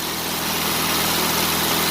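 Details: 2000 Mitsubishi Lancer Ralliart after no-start repair (no power to injectors); even, steady idle with smooth hiss on top, no stumble, dip or stall; holding idle fine.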